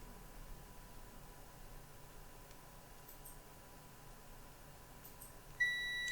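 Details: Lenovo ThinkPad X201 motherboard, continuity check of the LED/display connector pins: several seconds of quiet probing with no tone, then one steady high beep on the last pin only; no short, safe to power on.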